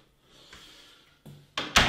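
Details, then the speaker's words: Door on ball bearing hinges, as on a pre-hung door: soft rustle, a latch click and a closing thud, with no squealing tone; the hinges open and close quietly and freely. "this does not squeak and opens and closes beautifully"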